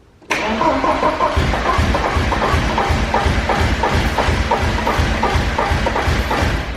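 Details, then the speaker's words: Porsche 944 race car, full exhaust with header and resonator, first start on starting fluid: cranks, catches at once and runs evenly, confirming a fuel supply fault; crew suspects still no fuel. "But I'm thinking that we're still not getting fuel, right? I think we're probably still not getting fuel."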